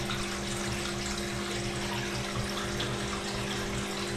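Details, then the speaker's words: 2009 Samsung WW7708N6W1 washing machine after drain pump replacement for a drainage problem: steady low hum with water rushing evenly through, no grinding or rattling; draining properly. "test that it's all working fine, and I'll film that as well. it's draining properly."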